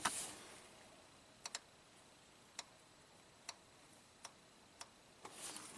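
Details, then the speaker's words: 2016 Honda Pilot, 104k miles, hard shift out of 1st on first key cycle: engine off, clutch pressure solenoid on secondary valve body fed about one amp via test light from battery positive gives crisp clicks; valve moves, circuit fine, likely not valve body fault. "so like I suspected the valve moves carries an appropriate current it's not a circuit code"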